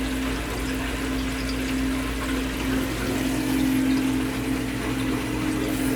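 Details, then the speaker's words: HydroAir hydronic heating system not heating the 2nd floor, feeder found stuck: steady pump hum with irregular watery trickling and gurgling through pipes; trapped air in the loop, fixed by a purge. "so I mean it might have a little air in it yeah it sounds like it's gurgling must be air right"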